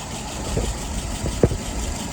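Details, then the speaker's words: 48 flathead test engine with restored, adjusted WO carburettor, float set right, no drips: low slow even idle thump about 660 rpm, fuel pressure about 2.75, vacuum 23, dwell about 42, no misses or knocks; smooth idle. "Alright, let's go ahead and look at some numbers. Idle RPM is about 660."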